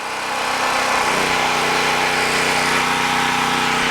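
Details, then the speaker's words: Harbor Freight Predator 3500 W generator (6.5 HP, 212cc) on its first run: smooth, even hum whose note drops and settles as a load is plugged in, running a fridge; normal under light load. "there's a definite change when you plug something in here I want you to hear that in the video"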